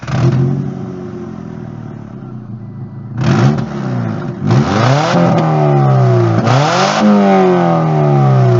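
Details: EJ22 1997 Subaru Legacy with an exhaust leak acting like a straight pipe: loud, raspy open-pipe blat swelling with each rev and dropping between, also pops heavily in person; exhaust leak ahead of muffler.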